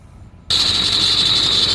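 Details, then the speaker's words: 1998–2003 Ford F250/F350 7.3L diesel idling with a loud high-pitched squeal from either the belt tensioner or the idler pulley; the belt tensioner assembly was replaced with a Gates 38191. "there it is hear that squeal that is really irritating so we're gonna take care of that today"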